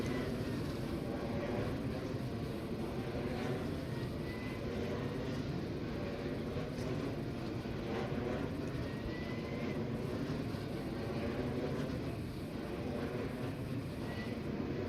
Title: Vensys Ve 112 abnormal sounds